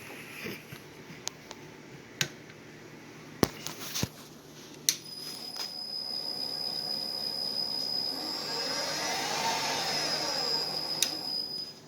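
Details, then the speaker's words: Millport milling machine, 10x50 inch table, 3 hp with Speed-Rite AC variable drive, spindle in low speed: a few handling clicks, then a quiet, steady high hum as the spindle spins up and runs evenly; sounds healthy. "So as you can see, that runs good. I'll put her back in high."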